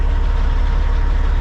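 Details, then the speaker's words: Caterpillar-powered semi truck with an intermittent no-start, with the dash apart: deep, even diesel idle with a steady low throb and no knocks or misses; healthy idle. "we're going to go ahead and put it back together shut it off but she a healthy sound an old truck"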